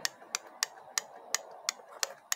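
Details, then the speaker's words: Holden/Chevrolet 6T40 automatic transmission solenoid, removed and bench-tested at 10.5 volts, clicking sharply and evenly about three times a second; the solenoid is switching properly, normal operation, checked while fixing slipping in 2nd and 6th gear. "Yeah, you can see it's working as it should."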